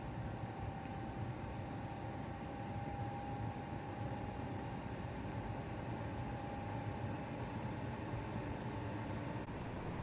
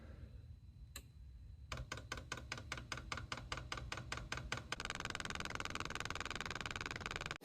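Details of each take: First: Chinese diesel parking heater showing error E-8 (fuel/combustion): a steady blower rush with a faint strained whistle but no dosing-pump ticking, even though fuel is being called for, and smoke appears. The owner suspects the fuel pump is seized again after one earlier fix. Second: Chinese diesel parking heater, reassembled after an E-8 no-combustion/fuel error and run from a 12 V supply at about 8°C (46°F): crisp, even dosing-pump clicks about 2.5 a second, then a fan hum joins in. Normal fuel pump priming.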